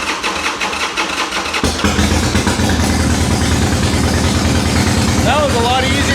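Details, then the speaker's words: Harley-Davidson Sportster V-twin after sitting 8 months, fuel on and choke: quiet, then catches within two seconds and settles into loping steady idle; clean easy cold start. "There it is. Oh yeah. This is probably one of the purest sounding smores out there."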